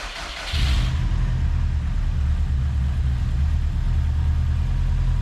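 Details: Subaru boxer: engine catches quickly and settles into a smooth, even low idle with no knocks or ticks; runs really smooth.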